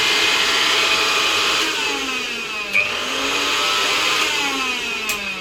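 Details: Angle grinder after its power cable was replaced (it had flashing and kept tripping the MCB and blowing fuses): a high, steady whirring spin with a slight rise and fall, no sparking crackle or stutter; it runs smoothly.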